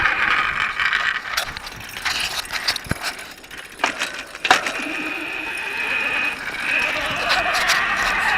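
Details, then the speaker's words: Rebuilt solar electric bicycle on first test ride: irregular sharp metallic pings over a thin scraping, dragging hiss, like metal dragging on the ground; cause suspected, not confirmed. "strange sound the strange metal pinging sound what's that sound it sounds like metal dragging on the ground"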